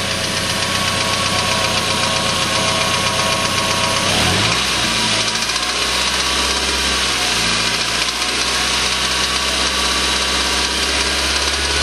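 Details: Suzuki Aerio petrol engine running: deep, rapid knock keeping time with engine speed. Rod knock from a spun bearing; engine later replaced under warranty.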